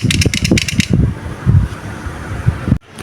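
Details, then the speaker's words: Vespa Excel clutch turned by hand on the bench during engine rebuild, before fitting: a quick burst of loose metallic rattling settling to a duller clatter, clutch rattle from loose parts. "Nah, ini mumpung ee kopling belum kita pasang ini, kita perdengarkan dulu suaranya ya saat kondisi di kopling tuh seperti ini, Teman-teman. Ini pakai tangan suaranya kayak gini."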